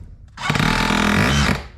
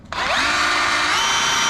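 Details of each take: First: DeWalt 54V brushless hammer drill after hammer mechanism rebuild, tested without the pin: four short bursts of rapid, even hammering over motor whir, hammer engages straight away, healthy. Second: DeWalt 54V brushless hammer drill before hammer rebuild: motor spins up to a smooth steady whine with no hammering clatter even in hammer-drill mode; no hammer action.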